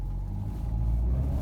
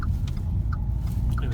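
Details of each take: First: 2012 Renault EDC dual-clutch gearbox at 115,000 km: a deep, steady growl starts as soon as the car pulls away; a worn gearbox bearing. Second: 2012 Renault with EDC gearbox after repair (gearbox removed, bearings, differential bearings and seals replaced), road test through a turn: low even rumble, earlier growl and whine gone, no whine, howl or grinding; gearbox healthy.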